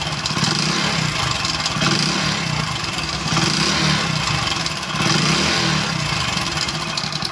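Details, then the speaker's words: Small single-cylinder motorcycle idling, then throttled: a busy tinny tick-rattle under the exhaust beat. The main noise is piston slap, with some timing chain noise; some mechanics called it crank noise. "इसके engine का sound सुना यहां पर थोड़ी बहुत timing की आवाज है लेकिन इसके अंदर यहां पर मेन आवाज आ रही है पिस्टन की"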